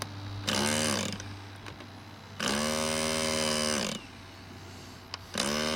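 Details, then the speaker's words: Model glow engine at a club retro flying meet struggling to start: short high buzzing bursts that rise, sag and die repeatedly; glow plug is broken or out, so it won't keep running. "die Kerze ist kaputt oder aus oder ist verreckt die Glitzer"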